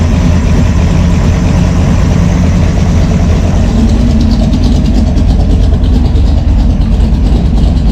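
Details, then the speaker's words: V8 with a Brawler 650 CFM carb, mixture set 1 turn out on all four corners, about 10 in. of vacuum with the cam and throttle-body spacer: a steady, even idle with a mild cam lope and no stumbling. Normal idle. "You can see it's really smooth though. The engine's not hopping around all over the place."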